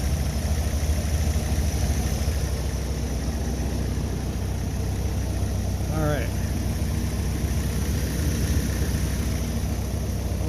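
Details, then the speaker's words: Willys engine idling, with oil pressure, amperage and temperature showing: steady, even, soft low idle, running smooth like a sewing machine and quiet through the muffler. Normal idle. "wow this thing runs like a sewing machine seriously it's so smooth"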